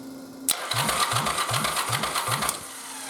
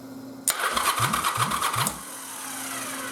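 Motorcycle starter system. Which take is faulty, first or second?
first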